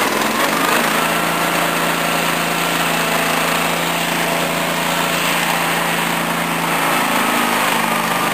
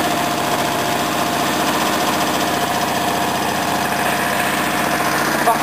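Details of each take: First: Small-engine mower, Honda 13 hp OHV or Briggs 14 hp OHV V-twin, under repair: screams at high speed with a busy, uneven beat, dipping slightly midway; high revs but lacking power. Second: Small engine (earlier wouldn't start with fuel tap off): steady, even chuffing idle with no misses, knocks or hunting; running properly.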